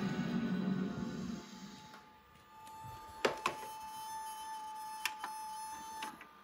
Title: Weird Noise Coming From My VCR